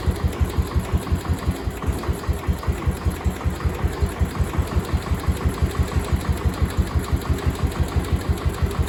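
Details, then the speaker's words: Cub Cadet 1250 hydrostatic, sat 20 years, after adding gas: single thumps evenly about three a second, quiet exhaust, no smoke, no knock or miss; healthy idle. "listen to that that is quiet in ain't smoke I ain't seen smoke a drop"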